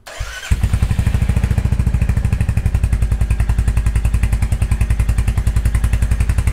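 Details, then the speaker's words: 2023 Royal Enfield Hunter 350 single-cylinder in neutral after valve adjustment, before oil change: fires up into an even, rapid exhaust thump; the previous loud ticking is gone, healthy idle. "bike sounds really good no more loud ticking noise that I had before I had a really really loud kick and it's gone all I hear now is the exhaust and then just the engine rotation yeah that sounds really good"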